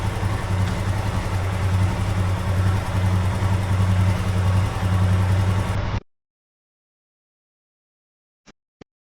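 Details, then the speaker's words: 2021 Royal Enfield Himalayan Euro5, 6,000 km, after oil pump drive chain rattle fix: steady low single-cylinder thump at idle, minimal lower-right engine noise, then shut off; normal quiet idle. "nice and quiet well as quiet as it's going to be quiet as it's been since I've having the bike"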